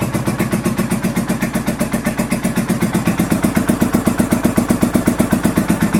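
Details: 1983 Honda VT750 V-twin motorcycle on choke after first start following a top end rebuild and modifications: even, regular exhaust pulses at fast idle, about four a second, no misses or knocks; normal choke idle.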